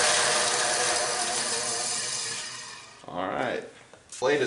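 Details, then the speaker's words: Bandsaw briefly switched on and off as a run-smoothness check: it spins up and coasts down with a dry, scratchy hiss over the motor because the blade is riding on its guide bearing; the fix is to loosen the guide and tap the blade back. "is riding. You hear that scratchiness. I can see our blade is riding on that bearing right here."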